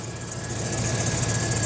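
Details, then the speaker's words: 2004 Chevrolet Silverado idling; a constant gritty hiss and rattle comes from a bad bearing in the serpentine/A/C belt tensioner arm pulley, which is to be replaced to quiet it. "that little arm right there with the uh tensioner uh arm that that pulley on there is bad making all that racket so we're going to be replacing that today's video"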